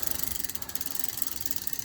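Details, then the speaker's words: Sturmey Archer AM medium-ratio hub with newly fitted threaded driver, on a Standard 125R, in low gear: fast, even light pawl ticking with no grinding, possibly slightly slower than an AW; normal pawl ticking. "That tick is supposed to be there. That is the low gear pause ticking. Now this is a medium ratio hub, so it might not be ticking the same speed as an AW does."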